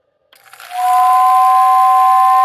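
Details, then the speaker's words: Lionel OO whistling tender whistle motor after correcting reversed brush wires that spun the motor backward: spins up in under a second, then holds two clear, steady whistle tones with more volume; whistle working properly. "so hopefully you can hear that um the volume is definitely increased I feel like the intensity is a little bit higher and I can now hear clearly both tones in the whistle"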